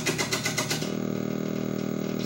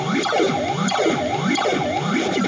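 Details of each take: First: Gorf arcade game board #2 with custom chip D installed, powered on before any oven baking: harsh buzzing bursts, then a steady raspy drone instead of game sounds; garbled sound from a faulty custom sound chip. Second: Gorf arcade game board 3 after custom chip B was cleaned with a Dremel; boots, watchdog working, speech and sound effects (swooping sirens, warbling tones) play cleanly over a faint steady whistle that may be normal. Chip B revived.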